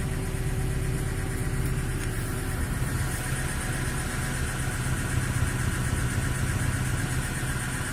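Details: VAZ 2106 that burns oil, at idle: dull, fairly regular engine knock about four a second under the low rumble.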